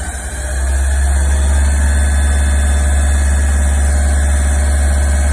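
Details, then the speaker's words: Bathroom exhaust fan in new-construction home; loud heavy low hum with rough pulsing flutter settling into steady drone, running far too noisily, cause unclear. "I found some strange sounds and a new construction home today come with me and check it out the first one is this bathroom exhaust fan"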